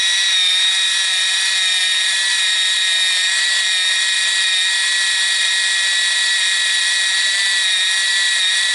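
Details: Kodak KC30 35mm film camera: steady high-pitched motor whir, even throughout, as the motorized film rewind runs normally.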